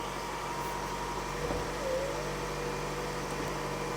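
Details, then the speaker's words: 2007 Toyota Highlander 2.4L after valve cover gasket, PCV, position sensor, coil and spark plug replacement. Quiet, even idle with no misses, knocks or hunting; starts better than before, no leaks top or bottom: normal idle. "oh turn it on again all right turns on better than before"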